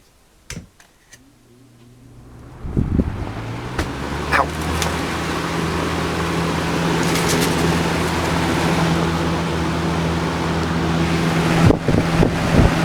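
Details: Old Lasko box fan after repair of a bad creaking, near-seized motor that stopped immediately at turnoff: it spins up from a few clicks into a smooth, steady whir with no creak or scrape; the motor runs freely.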